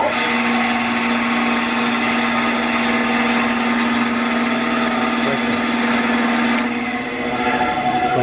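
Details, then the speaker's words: 10-inch Craftsman band saw after a drive belt replacement, run with the covers open: steady motor hum with a fast uneven flutter of about four a second as the blade moves back and forth, not seated quite right; blade wobble. "blade's kind of going back and forth here so maybe it isn't on quite perfectly"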